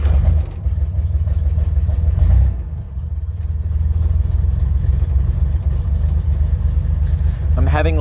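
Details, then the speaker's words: 1964 Chevrolet Corvair Monza Spyder, 164 cu in 150 hp turbocharged air-cooled flat-six, straight pipe from turbo with no muffler, air cleaner off: deep uneven note sags and nearly dies then recovers; carburetor running rich and cutting out, to be taken apart. "little bit of issue with the carburetor right now it's running kind of rich and at certain points it just it gets very it cuts out a bit"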